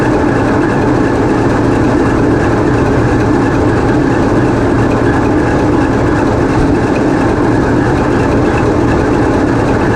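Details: TEP70 0237 passenger diesel locomotive on run-in trials after repair, GoPro in the diesel engine room: loud, steady heavy drone with an even beat and no knocks or rattles at constant speed; running smoothly.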